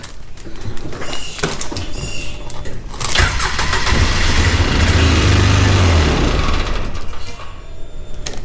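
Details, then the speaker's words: 2009 Polaris Ranger 700 EFI after a new starter and a cleaned sensor: it cranks a few seconds, catches, runs rough, then dies without throttle and won't hold idle; wiring harness suspected, not confirmed. "Yeah, and if we don't give it gas, it dies."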